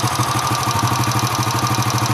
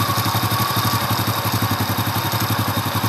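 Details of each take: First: Honda Astrea Impressa motorcycle (C100/Grand-type engine) warm at idle, engine near 60°C: a fast, even light ticking rides over the thump and grows louder as it heats and with throttle; exact cause not pinned down. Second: Honda Astrea Impressa motorcycle (C100/Grand-type engine) at cold idle, about 38°C: an even, steady putter of about four beats a second with no clatter or ticking; the engine is quiet and healthy when cold.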